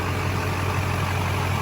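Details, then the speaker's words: 2001 Chevy Silverado 2500HD with the 6.6L Duramax LB7 diesel, started right after replacing the crank and cam sensors and clearing codes. It fires right up to a smooth, even idle with a steady low rumble and no misses or knocks. Normal idle. "Just purring like a kitten. Fired right up, guys."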